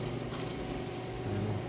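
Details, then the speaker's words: Pellet auger chewing on what is left in the bottom after 90 bags of pellets: steady low drone with irregular gritty crunching and clinking that sounds awful; owner suspects debris in one of the pellet bags. "but whatever is crunching in there it doesn't like whatever is left in the bottom all right sounds awful"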